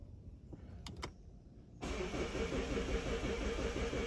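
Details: 2016 Mazda 6 towed in after breaking down while driving, code P0337 crankshaft position sensor circuit low: steady fast cranking at about three beats a second that never catches; cause not confirmed.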